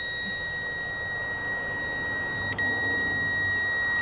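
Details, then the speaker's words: 2011 Chevy 3500 HD 6.6-litre Duramax with a no-crank, no-start: power probe leaded to the battery and held to ground gives a clean, continuous high tone; power present at the tip. "there we go so we got power at the tip"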